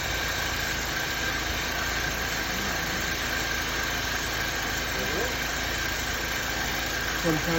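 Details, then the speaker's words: 2002 Nissan Altima that ran rough with hesitation, after a basic tune-up with new spark plugs and clean gasoline: even, steady idle hum at constant level, no stumbles or hesitation; engine runs smoothly. "simple things pay off no more hesitation just with the plugs and some clean gasoline"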